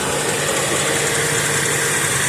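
Steady, even idle with a smooth hiss and no misses, knocks or slapping; the engine runs cleanly and sounds healthy.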